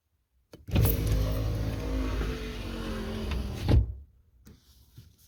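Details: Lincoln Continental passenger-side rear power window after torque pin (bushing pin) replacement in the window motor: smooth, even motor hum for about three seconds with a firm thunk at end of travel; window works properly.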